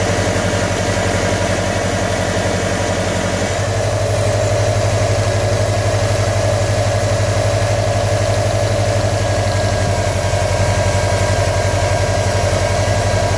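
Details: 2015 Subaru WRX STI at idle during engine knock troubleshooting: regular light tapping about four times a second over the exhaust drone; knock present, cause not yet pinned down.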